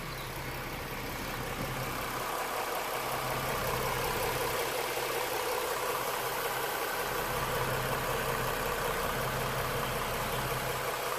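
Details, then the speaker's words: 2017 Ford Mustang V6, non-turbo, about 13,000 miles, first start-up after an AMSOIL engine flush and oil change with six quarts: settles into a smooth, even, steady idle with no ticking, knocking or misses. Normal idle. "she sounds like is what she sounds like after the flush listen to how smooth she is"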